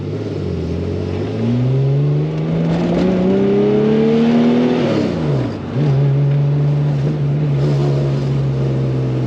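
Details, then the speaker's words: RWB Porsche 911 Targa, freshly rebuilt 964 3.6L flat-six with lightened flywheel and ITBs, first drive in rain, loaded to bed the rings: a soft, fluffy, farty exhaust note; one-side exhaust leak suspected. "We're running. Everything looks like it's working. Yeah, it's a bit farty, isn't it?"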